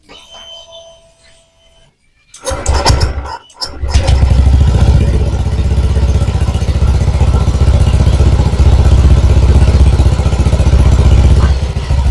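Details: Honda Vario 125 scooter that had lost ignition, with a burst ECU found. On a restart after repair it cranks briefly, fires and settles into a steady, even idle with a regular beat; it starts and runs fine.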